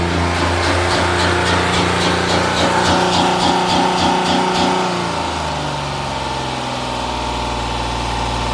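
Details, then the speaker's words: 2016 Honda Pilot 3.5 L with code P2652, check engine light on: engine holds a very high idle with quick regular pulse, then sags and evens out; switch signal voltage bouncing 6–10 V, pointing to faulty rocker arm oil pressure switch circuit. "so the engine is running the idle is very high"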